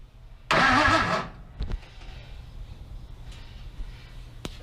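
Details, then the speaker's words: 1965 Chevrolet C10 short bed with LS1 swap, new battery and belt, fuel pump running but fuel line not finished; starter bumped briefly, short even whirr spinning engine freely without firing; healthy starter cranking. "You can turn the key on, fuel pump runs. I mean, I could bump it if you guys want to hear the starter spin."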